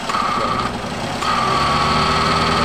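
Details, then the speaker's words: Toyota/Daihatsu MPV (Xenia/Avanza class) after AC repair (compressor clutch hadn't engaged, code P1530; faulty part replaced, torn wiring fixed): engine idles evenly while a steady high whine drops out and returns; compressor and fan cycling normally. "Nah itu terdengar suaraeng sepertinya kompresor sudah aktif ya teman-teman sudah aktif kita coba cek ke depan"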